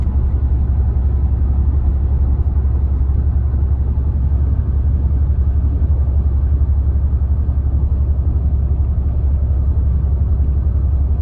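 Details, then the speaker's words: Car driving as sticking brake caliper heats up and brake fluid expands: heavy low rumble with loose uneven thumping and vibration, pad pressing too hard and skipping across rotor. "It's getting really bad, really loud. And vibration's not too bad, but eventually it's going to get worse. So I hope you guys can hear that. That's just the brake pad making just putting too much pressure on the rotor, and it's just kind of skipping across the rotor."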